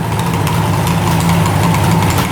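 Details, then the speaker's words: 1975 Suzuki GT750 two-stroke triple, sitting since 1986, just revived: a steady, crisp, regular two-stroke idle at about 1,000 rpm with no misses; running cleanly on all three cylinders. "I cannot believe how good it's running right now."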